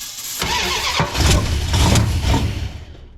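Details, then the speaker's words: 1971 Plymouth Satellite 318 with a newly fitted Thermoquad, started on starter fluid: rough, uneven firing and sputtering bursts, then it dies, with heavy smoke; suspected diesel mixed into the petrol. "What's all the smoke? Maybe the bad gas. Oh my gosh. What happened? I don't know. You sure that wasn't diesel? Why would there be diesel? Because I bought diesel to put in the tractor."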